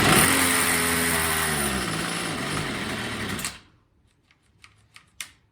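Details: Troy-Bilt TB22 EC two-stroke weed eater at first start after cleaning and re-oiling the air filter, primed and on half choke: buzzes unevenly with sagging, wavering pitch then dies after about three seconds; carburetor clearly out of tune.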